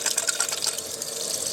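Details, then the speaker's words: Atwood RV water heater being refilled from city water after flushing and cleaning: a hissing, splashing gush of water from the pressure relief valve. This shows the tank is full. "As soon as the water begins to come out the pressure relief valve, which is going to take a couple of minutes for the tank to fill up. There it is."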